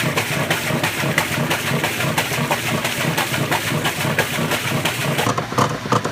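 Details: Maytag Centennial washer while agitating: loud rhythmic clunking and rattling, about three knocks a second following each stroke; owner suspects a bearing, not confirmed, and a worn drive part is likely.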